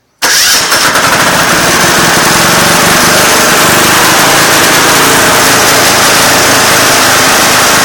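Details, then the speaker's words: Craftsman GT6000 diesel garden tractor, warm weather, after fixing a slow-idle problem that turned out not to be the throttle cable; starts instantly into a loud, steady diesel clatter at a firm, higher idle. Normal start and idle. "as you could hear their I got a heck of a lot more idle and a lot of nice diesel smoke"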